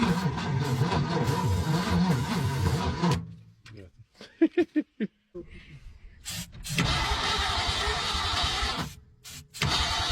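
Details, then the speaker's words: 1961 engine first start attempt after 30 years, starter fluid sprayed in carburetor: starter churns in bursts with pauses, never catches; cranks, no start, owner suspects possible compression issue. "why Ain it firing all right y'all do we have a compression issue it's possible"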